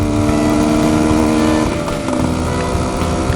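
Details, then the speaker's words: 1973 Suzuki TS250K Savage two-stroke on its first ride after pickup, unrestored, blue smoke: loud raspy exhaust because the silencer baffle is missing, yet the engine runs smooth and even. "I have done 0 to this bike, so I will get a baffle for it. It's pretty loud. But boy, it runs smooth."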